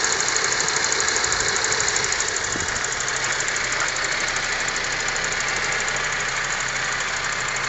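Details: Honda Civic 4-door: steady engine run with fairly regular tapping, about three per second, over a bright hiss; engine knock of unknown cause.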